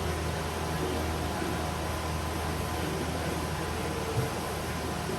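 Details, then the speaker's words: Total Charge III golf cart battery charger, reported no DC output, plugged into mains: steady low transformer buzz, normal; transformer measured about 80-85 V AC output. "We'll plug it in. It comes on. I can hear it buzzing."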